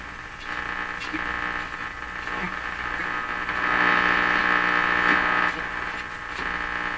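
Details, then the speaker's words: 1940s Canadian Red Cross tube radio being tuned: steady hiss and crackle with constant hum underneath; noisy reception; cause not yet fixed. "that's just terrible that noise don't know what to do about the string here"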